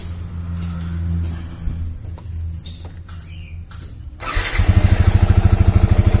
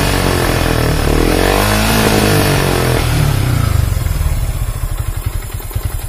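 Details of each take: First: Yamaha Vixion New that wouldn't start, on a borrowed good battery, charging now normal at about 14 V: quiet, then catches and settles into an even thumping idle about 2.5 beats a second; normal start. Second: Yamaha Vixion New motorcycle with a weak battery causing stalling: revs hold briefly, then break into uneven stuttering pulses as if about to stall; rough running traced to the weak battery.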